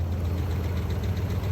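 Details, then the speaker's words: 2009 Dodge Ram Sport 5.7 Hemi, running again after a no-start fixed by replacing the bad fuel pump, with no leaks seen. The owner first heard a sound he hoped was the fan. Deep, smooth, even idle rumble, no knock or tick. Normal idle. "Baby running. Yeah, bless. Guess what? Back on the road again."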